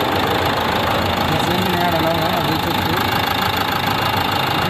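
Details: Renault Duster 110PS diesel idling with a hard, rapid tak-tak knock about three per second, worst in the morning with white smoke and no check light; the injectors knock and need coding.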